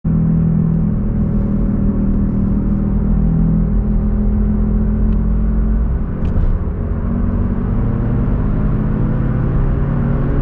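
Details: Car driving on road: steady low droning growl under road rumble, no knocking; worn noisy rear wheel bearing, later replaced.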